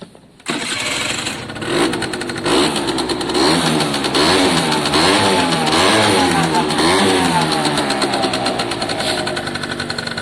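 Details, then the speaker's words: Italjet Formula 50cc two-stroke paddock bike after carb and fuel tap work: fires straight away, then a crisp buzzing note rises and falls smoothly with throttle blips; runs clean and healthy; normal start and run. "looks and sounds very happy. It's great news."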